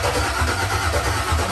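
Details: Dropped Chevy truck, freshly built cammed 5.3 V8 with Texas Speed 232/234 cam, first start attempt: starter cranks at even rhythm but never fires; fuel pump got no power, later traced to ground issues.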